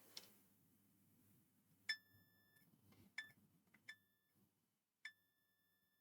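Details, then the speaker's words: M-Audio M-Track Solo audio interface, both channels dead with two red clip LEDs and buzz, multimeter continuity test on circuit board: clear high beeps at each probe touch; direct short across capacitor and inductor points. "so that's a direct short. If I come through the capacitor, it's also a direct short. That comes through into this inductor, that's a direct short."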